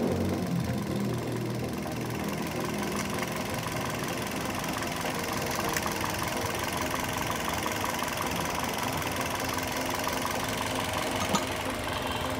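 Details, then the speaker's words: Toyota Yaris Bakpao after replacing a dead ignition coil that caused misfiring and shaking: a steady, even idle with a constant low hum and no misses; the RPM is now stable. "jadi ini koil normal kita masukkan lagi aja Ya udah teman-teman sudah kita ganti koilnya ya jadi lebih stabil"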